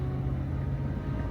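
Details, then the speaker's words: Ford F-150 4x4 driving after front wheel hub replacement: steady low drivetrain rumble with no ticking from the front wheel. 4x4 engages again; steering is still stiff, possibly from curb damage or low power steering fluid. "One kind of important thing to note here is we have no ticks right now, which kind of leads me to believe that our 4x4 is working decent again."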